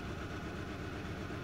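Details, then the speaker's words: 2012 VW Jetta GL 2.0L with P0300/P0301 idles lumpy and shaking, smelling of raw fuel; cylinder 1 misfires constantly, over 200 counts, from a faulty number-one ignition plug wire. "and it's starting to smell like raw fuel or like a misfire on either one or more cylinders you can see here on the scan tool for cylinder number one it is misfiring constantly"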